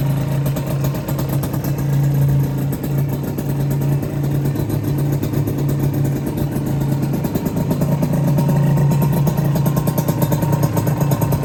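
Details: Honda LS125 two-stroke single, after full engine rebuild, started cold without choke: settles into a steady, even low idle of about four beats a second, no knocks or misses; normal, healthy idle.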